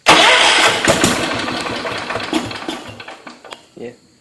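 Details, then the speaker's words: John Deere 210 small engine after rewiring the neutral start switch wire, freshly refueled: catches quickly and runs a few seconds, then fades; starts without choke, a healthy start, though the mixture still needs adjusting and it may stall when throttled up. "it does for now anyway it starts up without the choke which is good because I remember it did that before I took it apart"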